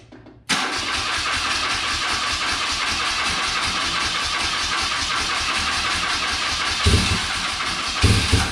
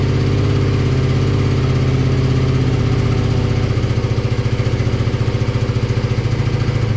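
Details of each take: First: Circa 1983–84 BMW R65 twin, first start attempt on starting fluid: cranking catches with harsh, uneven firing and louder pops near the end, runs only briefly; carbs to be pulled and cleaned. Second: Classic BMW R65 boxer twin (about 1983–84), on partial choke: even, steady low thumping at idle with no knocks or clunks, a smooth and healthy idle. The left side smoked, which the owner thinks is typical.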